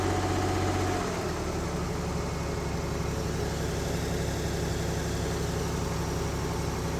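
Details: 1970s Mercruiser sterndrive (slight float drip) being winterized, after a little throttle: a steady, even low idle with a smooth rhythm and no knocks or misses; warming up with oil pressure and charging good; normal warm idle.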